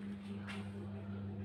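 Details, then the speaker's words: Single-tub washing machine that previously would not spin (only the pulsator turned), now in spin with the whole tub turning with the pulsator after gearbox repair; steady low hum, even tone, no knocking or grinding; sound clearly different from before; normal spin. "itu sudah sama tabung pinggirnya yang berputar Nah itu beda kan suaranya beda sama yang tadi sangat beda sekali"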